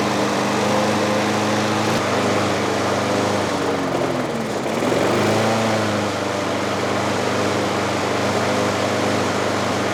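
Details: Trash-picked Craftsman 6.5 hp 21-inch push mower, first run after fuel tank install and priming: the engine screams at high revs, sags and surges, never settling. The governor arm was stuck at the carburetor, later freed with PB Blaster.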